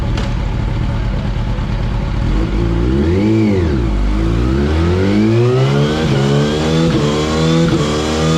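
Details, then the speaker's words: 2004 Yamaha R1 inline-four on the dyno with a Power Commander 3 and a newly fitted quick shifter; it made 144 on the first pull. It revs up, drops, then pulls hard. The air-fuel ratio is way off, needing a dyno tune. "And like I said, the air fuel ratio is way off. So we're going to be dyno tuning that today. You'll be able to see what it sounds like."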